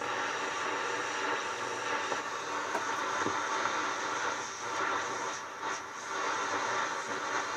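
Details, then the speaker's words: Realtone 2437 4-band AM/FM/SW radio on the bench, tuned to the end of the AM band: an even hiss with faint crackle and no voices or music, so it plays but picks up no stations. Owner suspects the dirty band switch, not confirmed. "sounds like it's working but it's not getting no stations"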